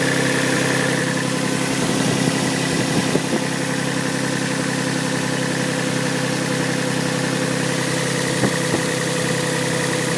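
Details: Yamaha 1G-GE engine at cold idle: steady drone with a faint, fairly regular knock riding over it; cold-start knock from inside the engine.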